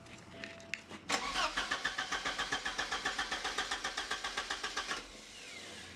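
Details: Porsche 944 after replacing the entire fuel system, pump confirmed running: even starter chug about four beats a second for four seconds, never catches; cranks but no spark from bad crank sensors.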